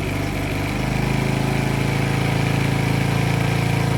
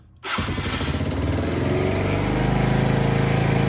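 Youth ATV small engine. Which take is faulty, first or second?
first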